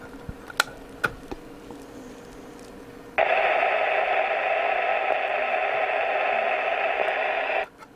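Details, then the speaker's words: Hacker Herald RP30 radio under repair, IF board fixed, during alignment with signal generator at 10 millivolts: abrupt rough crackly hiss, scratchy reception near far end of the scale. "it's a bit scratchy I wonder if we've got a bit down the far end of the scale"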